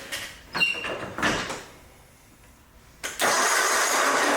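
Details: Ferris zero-turn mower that sat 3 years in a barn, battery installed, choke on, operator on seat: few short cranking bursts with pauses, then catches and runs steadily; normal start despite reported need for a fuel pump.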